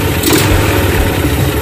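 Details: Carburetted motorcycle that died when throttled, after reassembly; even low single-cylinder putter, steady beat, no stumbling or dying. Normal idle.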